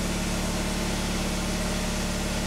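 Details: Nissan Tsuru after fixing a fuel pump power fault (a terminal passing no current): steady low, even engine drone with no misses, knocks or stumbles under light background hiss; idles smoothly.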